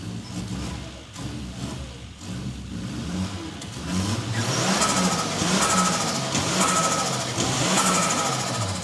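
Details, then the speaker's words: 1989 MA70 Toyota Supra with a 7M-GTE engine, first start in over 6 years, timing belt overdue: the engine catches and revs up cleanly in blips, turbo whistle rising on each rev, no knocks or misses. Sounds healthy. "If you don't love that sound, see if it drives. I'm going to need to get the the revs up for it."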